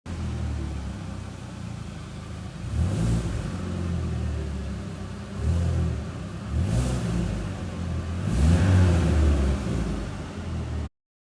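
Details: Chevrolet Cobalt petrol engine idling with a lumpy, uneven beat and occasional stumbles; scanner showed an intermittent cylinder misfire, caused not by the injector or ignition but by damaged injector connectors making poor contact.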